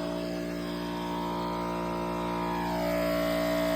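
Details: 24-volt super pump for house washing during a flow test: steady electric whine with a smooth pitch shift as flow settles, no stutter or rattle; pump running strong at full flow.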